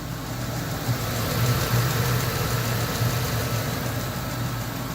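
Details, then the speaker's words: Ford F250 5.4 Triton V8, about 222,000 miles, idling: light, steady tick over the low rumble that started a few days ago, loudest from inside the passenger-side fender; owner first suspected a roller follower or lifter, traced to a loose spark plug. "We got a tick on the 5.4 Triton V8. I don't know if y'all can hear that. You can definitely hear it from inside the fender on the passenger side."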